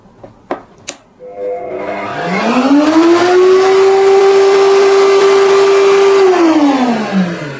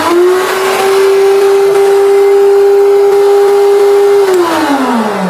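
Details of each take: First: Motor started with the soft-start switch on a 900-watt supply. The hum climbs gently over about a second to a steady, even pitch, holds, then winds down. The surge drops from 5 to 4 A and the MCB doesn't trip, a clean soft start. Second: 2200-watt bench planer on a 2200 supply without the soft-start module. It snaps to a steady high hum almost instantly with no ramp, then coasts down. This is a jerky hard start with a 5 A inrush, which trips the MCB on 900/1300 supplies.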